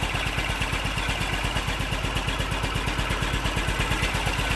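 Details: BMW Isetta single-cylinder engine started with a little choke after brake and front suspension work: ticks over at an even, rapid beat of about three pulses a second; a steady, healthy idle.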